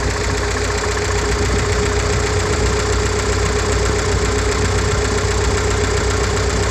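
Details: GAZ-69 with UMZ-421 engine after major overhaul (Kostroma piston group, contactless ignition, original carburetor, fuel pump and old-type intake manifold): steady low even idle with a mild rhythmic thump; healthy.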